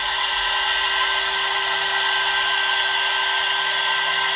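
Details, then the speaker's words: 1.5 kW 110 V air-cooled CNC spindle on a 2.2 kW VFD, run at full 24,000 rpm for five minutes, ambient about 69°F: steady, high, pure whine at constant pitch with no grinding or wobble; normal, stable. "this is air cooled spindle so i just want to see how it performs like running full speed uh for five minutes"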